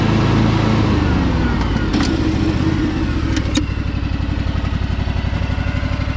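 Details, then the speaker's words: Craftsman DLT3000 lawn tractor with Honda 16.5 HP engine, after purging water from the fuel and an oil check: steady, even low thump with no knocks or stumbles as it settles to idle; runs smoothly. "thing is super nice guys really really nice tractor everything on it is really clean it's just that tiny little bit of surface rust but thing sounds awesome"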